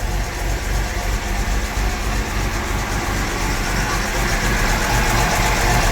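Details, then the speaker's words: 1975 Jaguar XJ6 Series 2 SWB with a rebuilt engine, warming up at idle with good oil pressure and charging: a busy, light clatter rides over the firing beat, so the top end is noisy; an earlier miss is clearing and is suspected to have been a fouled plug. "But she is noisy at that top end."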